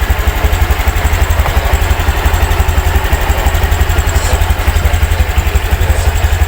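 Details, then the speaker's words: 2023 all-matic 110 scooter with rough CVT, after replacing broken rollers: even, rhythmic idle putter with no rattle or grinding from the CVT side; runs smoothly. "Kalau sudah beres, kita coba hidupkan motornya. Setelah hidup, suaranya halus."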